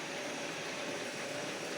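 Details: Bosch water heater that would not light (solenoid valve S2 fault suspected): steady, even rushing roar of burner flame with no popping, fluttering or dropouts after water demand, pilot lit, burner lit and running normally.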